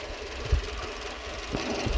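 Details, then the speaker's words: Renault Twingo 2 D4F engine, engine light on, running on three cylinders with vibration and power loss: uneven idle with irregular heavy thumps every half to one second; misfire, suspected injector or coil, garage claimed injector. "Probable aussi un injecteur, parce que le bruit c'est pas normal. Pas juste les bougies. Ou la bobine qui fasse le bruit là, ça me paraît bizarre."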